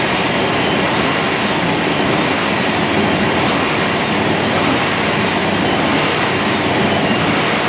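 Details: 1997 GMC 1500 5.7L Vortec V8 idling after fuel pump and plugged canister fuel filter replacement: steady, even running with only a faint flutter, much better than before; fuel pressure holding, normal idle.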